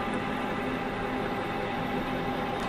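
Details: Manual metal lathe parting 1-inch steel rod, speed reduced from 460 toward 400 RPM with cutting fluid, cross feed advanced slowly: steady even cutting hiss, no squeal or judder; smooth parting cut.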